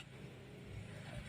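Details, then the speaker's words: 2012 Toyota Avanza petrol engine after EFI fuse reset and idle relearn (earlier RPM hunted between 1000 and 3000 with AC on): steady hum holding 1000 rpm, briefly 1100 with AC on; a normal stable idle. "RPM-nya udah 1000. Coba kita AC. Nah, RPM 1000, kita AC naik tadi sedikit 1100, lalu ke 1000 lagi. Oke, jadi udah normal ya."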